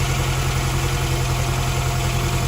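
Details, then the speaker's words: 1971 Fiat 850 Sport Coupe just brought back to life after ignition coil replacement and distributor cleaning, choke pulled out, running on very old fuel: steady, even idle with a clean regular beat, no misses or stumbles; sounds quite sweet. "I think we can officially say it's alive! Woohoo! Sounds quite sweet actually, considering how old the fuel is."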